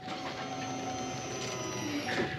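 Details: 2006 GMC Sierra after fuel pump replacement: faint steady whir at key-on holds an even pitch for a couple of seconds before cranking; the new fuel pump priming normally.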